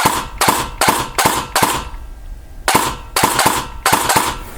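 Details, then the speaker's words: Elite Force MP5K airsoft gun with an installed Perun V3 Hybrid mosfet, after adjusting the placement to fix semi/full-auto selector inconsistency: about ten crisp, cleanly cut-off single shots with no stutter. Semi-auto is working properly. "Sounds pretty good, pretty crisp. So it works just fine."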